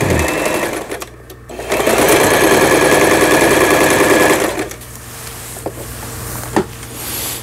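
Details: Lion Mising–sold Janome SS308 sewing machine from 2011, about 15 years old, after repair of no-stitch fault (auto-threader replaced); steady rapid needle clatter around three stitches a second, even and smooth, no knocking or grinding, sewing normally.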